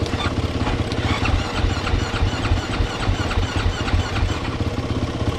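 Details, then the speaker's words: 2013 KTM 450 SX-F motocross bike with a fully flat battery, choke out, in neutral; charging read 14.4 V. Steady starter churn at about three pulses a second with no firing; the battery may not be giving enough power to the ignition. "cranking good prank let's charge it for a little bit maybe not getting enough juice to power the ignition system"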